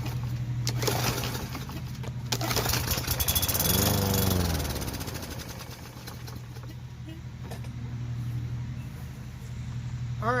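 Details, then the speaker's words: Lawn mower that starts then dies, running on a splash of gas poured into the carburetor intake with the filter off: catches roughly for a few seconds, then fades and stalls; suspected fuel not reaching the engine, likely an ethanol-gas carburetor issue. "right so that's the typical symptoms if it starts and dies it's not getting that gas up in there to finish the process"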